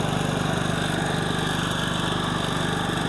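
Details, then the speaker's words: Reportedly German-made generator that had run only on choke, now running without choke after carburetor cleaning and linkage readjustment. Steady, even small-engine buzz with a regular two-per-second pulse and no surging. "Ну як бачимо працює він добре генератор Може щось і німецьке тут є але ну таке Ну працює він добре принаймні швидше"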